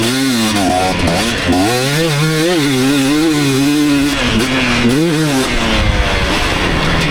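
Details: 2019 KTM 250SX two-stroke, Lectron Billetron 38 Pro carb dialed in: crisp revs tracking throttle smoothly, no rattle or ping, running clean; a trace of detonation noted only once the bike got hot.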